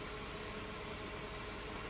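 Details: Mercedes W124 petrol idling after a vacuum leak at the headlight leveling knob was fixed: quiet, steady idle, even low murmur, no hiss or stumble; healthy.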